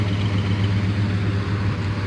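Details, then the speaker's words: 1975 Chevy C10 Silverado, 350 V8 with 350 Turbo transmission, rebuilt carburetor, after 15 years sitting: steady, even low V8 burble at idle, no misses, knocks or hunting; idles smoothly and healthy. "man this old truck runs good why oh my goodness i'm so glad i'm so glad it ran and it wasn't stuck"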